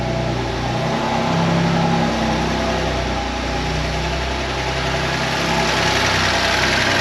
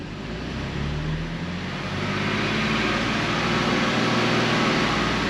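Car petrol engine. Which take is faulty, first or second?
first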